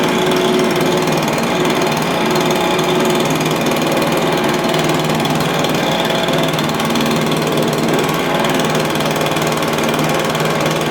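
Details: Stihl BR350 blower, formerly backfiring out the carburetor, after fitting the correct ignition coil to fix timing (knockoff coil was wrong); steady high two-stroke buzz at even speed, no popping or spitting through the intake; running normally.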